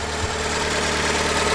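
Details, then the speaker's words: Fiat 500 petrol after cambelt replacement, warm after about 10 minutes running, idles smoothly with no top-end knock; knocking gone after cleaning clogged cam variable valve timing solenoid filter, likely starving it of oil. "so i've cleaned that out and it's now okay probably been running it for 10 minutes"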